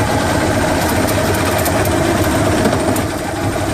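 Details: Johnson 150 hp outboard running: loose, uneven rattle coming and going over the engine drone, started two weeks ago at WOT and louder at higher rpm; intermittent rattle of unknown origin.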